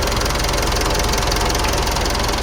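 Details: Mitsubishi Pajero Sport automatic diesel with P2146 injector circuit fault and lack of power, idling warm after repair and new pump and injector learning. Even idle with a light, steady clatter and no stumble or surge; now running normally.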